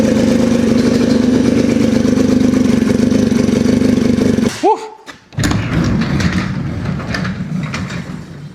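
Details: Polaris RZR 170 sat about 5 years, first running on choke after starting fluid: loud rough uneven smoky running with a knocking edge, then stumbles and dies on its own; owner hopes loudness is exhaust but it sounds knockish, cause unknown.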